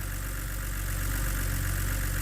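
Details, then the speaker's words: BMW E89 Z4 3.0 N52 straight-six (40,000 miles) warming at idle after a stuck timing chain tensioner was replaced. Smooth, steady low idle with an even beat and no ticking or chain rattle; healthy. "I do like that slowing down no rattle from the timing chain"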